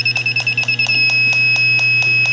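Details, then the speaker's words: Evaporator coil with rub-out leak, pressurized to about 50 psi with 410A plus topping gas: refrigerant leak detector beeping about four per second, speeding into a continuous tone — confirmed very small leak. "so this is confirmed to be a pretty darn small leak here"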